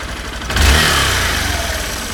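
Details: 2016 Honda Bros 160 single: after a worn piston was found following the 6,000 km service and replaced with original parts, a new, louder internal noise appeared. Engine blips from idle and settles back with a rough metallic clatter over the exhaust; cause unknown.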